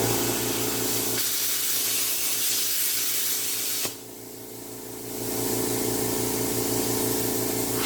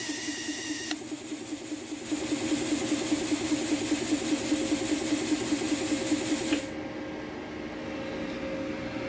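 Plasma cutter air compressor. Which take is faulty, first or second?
second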